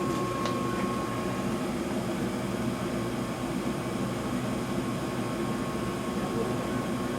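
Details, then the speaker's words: 2000 York Diamond 80 gas furnace, 90,000 BTU input, 80% efficient, starting in heat mode. After the inducer and burners, the blower gives a steady, even airy whoosh with a faint hum and no rattles or scraping. Normal blower operation. "so we'll listen for the blower which sounds really cool and Hope"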